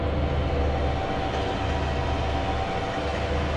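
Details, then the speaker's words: Whirlpool Cabrio WTW8240YW0 washer, about 8 years old, before tub bearing and seal replacement. A loud, steady, deep rumble through the spin that has been getting louder by the day; worn tub bearings. "getting louder and louder by the day"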